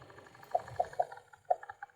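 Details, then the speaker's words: 2015 Ford Fusion blower motor at low fan speed, after removing a bolt: light sharp clicking and tapping about four a second over faint fan hum; failing blower motor, replacement needed. "Ooh, can you hear that? Turn the speed down. It's clicking and tapping, so we definitely have a bad fan."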